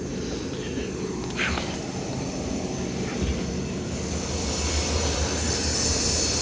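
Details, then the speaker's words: Neglected, dirty air handler feeding an old Carrier R22 condenser. Steady low blower hum with a thin high-pitched squeal from the fan motor, which also has a wobble and is expected to fail soon. "You can hear that squeal out of the fan motor. Got a little wobble to it too. That fan motor ain't gonna last much longer."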